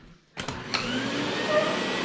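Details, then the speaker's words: Miele SES 100 vacuum after repairing the electric hose on/off switch: click, then motor spins up into a steady even roar with no stutter, rattle or cut-out; successful repair, normal running. "You can hear it. Working well. We have a successful repair."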